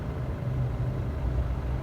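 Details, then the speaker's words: Nissan Navara diesel idling smoothly and evenly after clutch replacement, no clunks or rattles; the loud noise heard with the clutch pedal released is gone, normal idle. "เงียบกริบเลยใช่ไหมไม่มีเสียงเลยสบายใจแล้วมาเลยพี่มาตรงมาหาเราครับมาได้เลยครับนี่นะครับเงียบแล้วครับลูกค้าพอใจแล้วครับไม่มีเสียงดังคุกเข่าโคกครากรบกวนแล้วนะครับ"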